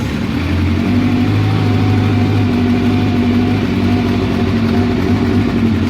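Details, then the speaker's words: Honda CB700SC idling with vacuum gauges attached, not yet warm: loud, steady but uneven lumpy beat; number 2 header not getting hot, so that cylinder isn't firing at or just off idle, suspected clogged pilot jet, unconfirmed. "this header right here is the number 2 cylinder and isn't really getting that hot so it's clear that that cylinder at idle"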